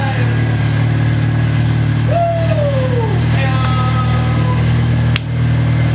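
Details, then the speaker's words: VW Corrado just after a new supercharger install, idling and revving: even, steady engine note with smooth blower hum, without the earlier squeaking squeal blamed on a dry bearing; supercharger sounds healthy. "supercharger sounds healthier. Everything sounds healthy. It is."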